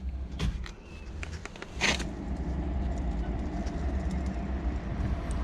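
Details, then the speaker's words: 2010 Citroën C1, rear wheel hand-spun before hub replacement, giving a low, steady rumbling roar from the worn rear wheel bearing hub. "this roaring sound coming from the worn bearing."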